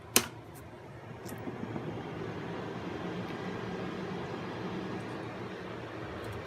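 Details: Intel 386 DX-25 PC left unused 15+ years, at power-on: sharp switch click, then steady airy cooling-fan whir with no grinding or rattle; it boots but shows power-up errors. Normal power-on fan noise.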